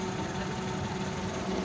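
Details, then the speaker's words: 2020 Suzuki DA63T engine shaking badly at idle; rough, uneven, stumbling idle with shaky beat; misfire. "start natin kailang nak one click anan mga boss oh nanginginig o nanginginig sobrang nginig mga boss"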